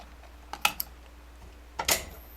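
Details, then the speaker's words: Homemade M301 fire alarm control panel: pulling a pull station triggers the latching relay, which stays on until power is cut. Sharp dry clicks, a short cluster then one more, as the relay pulls in and latches normally. "that's the relay that's a latching relay right there that will turn on and it will stay on until the power is actually cut to it"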